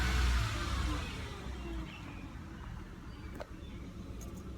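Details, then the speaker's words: 1999 Mercedes-Benz ML320 with an intermittently failing starter, running on a hot day: quick clean rev that falls back to a quiet, steady idle with no misfire or rattle; the engine itself runs normally. "currently the car is running and um if you can hear it I can rev It Up"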